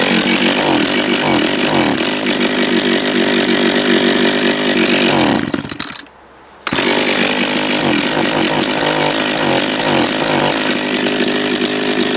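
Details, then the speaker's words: Japanese-made John Deere EV45 two-stroke chainsaw after carburetor rebuild, first start, no chain brake: high even buzz briefly drops off and snaps straight back to full speed, clean and steady throughout; normal running. "turn the switch off pull the choke out it's got no brakes be careful fired right up"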